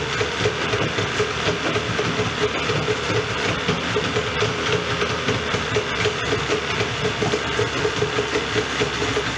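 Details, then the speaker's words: Rebuilt Yamaha 40hp outboard after lower unit refilled and shifting fixed, idling to check for overheating before a compression check: steady, even idle with light regular patter, no stumbles or misses; healthy. "Let it idle, make sure she don't overheat or anything like that, and then we're gonna do a final compression check."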